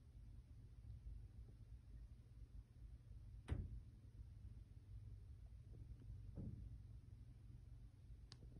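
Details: Top-floor (10th) corner unit of a 2020-built Montreal condo; quiet room with low rumble and dull irregular thuds from the ceiling at varying locations, no pattern, banging source unknown; boilers and AC not above the unit.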